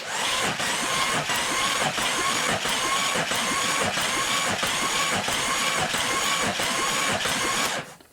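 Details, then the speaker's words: Jeep 4.0L engine after cylinder head installation (head bolts torqued to 110 ft-lb), oiled and cranked with a remote starter: starter churns with even, regular compression pulses about three per second, each stroke alike; normal healthy cranking compression. "I have a remote starter connected, so I can move this and we'll watch. And you can watch and you can hear it making compression."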